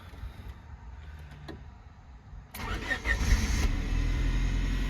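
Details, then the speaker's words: 1999 Honda Civic that stalled on throttle when warm, after ignition wires were replaced, cold start: quiet clicks, starter catches quickly and the engine settles to an even steady idle, starting better than before. "it started up way better than before um I'm gonna let it warm up because it drives fine it doesn't stall when it's cold it's only when it's warm"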